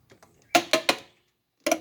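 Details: 2005 Porsche Boxster door, after a cheap DIY door handle repair and a replacement door panel fitted: quick raspy clicks in bursts of two or three as the handle is worked; repair spring dragging across a support web, pushed by the airbag tube; fixed by grinding the web and adding vinyl tubing.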